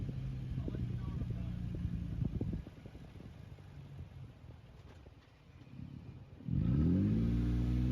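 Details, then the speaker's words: Toyota 4Runner 4th gen (2003-2009) with the 4.0-litre V6, believed to be the 2GR: a smooth, even hum that climbs cleanly in pitch as the throttle opens near the end. Normal V6 engine revving. "This one's a V6. You can just hear the differences between the two engines."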